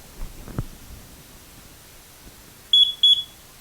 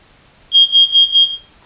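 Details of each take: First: Carbon monoxide detector still beeping about every 30 seconds after a new battery: two quick shrill beeps warning to check whether the unit is past its 5–7 year life expectancy. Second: Kidde carbon monoxide detector, test button pressed: a loud, piercing high tone in four quick pulses, alarm sounding normally on test and confirmed working.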